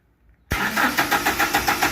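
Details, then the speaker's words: Toyota Hilux 2.7 VVTi just after the fuel tank sender/pump unit was replaced: the starter cranks evenly, about six beats a second, but never catches; the in-tank pump is heard running yet no fuel comes through. "You can hear the pump making a noise in the tank, but the car doesn't start."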